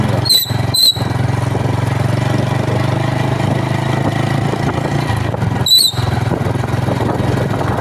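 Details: TVS Star motorcycle, noise whenever brake applied in all seasons: sharp high squeals in short bursts over idling engine each time brake goes on.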